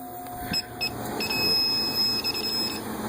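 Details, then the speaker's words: Condo AC with history of refrigerant top-ups, electronic leak detector at the indoor evaporator coil; shrill beeps a few per second merging into a steady high tone just inside the coil, not at the U-tube elbows: coil leaking. "And it seems to be picking it up mostly right around there in the coil, so just inside the coil."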